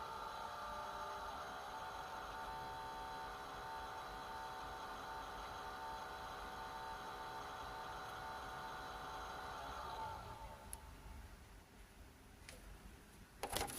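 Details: Xiaomi Mi Air Purifier 3H: steady buzzing drone with a high tone over the fan noise, holding constant about ten seconds then cutting off; fan buzzing, cause not confirmed.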